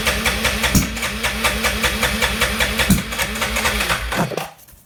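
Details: Arctic Cat ATV cranking without starting: steady rhythmic cranking of about four strokes a second that never catches and dies away. No spark because a magnet came loose and the magneto had to be replaced.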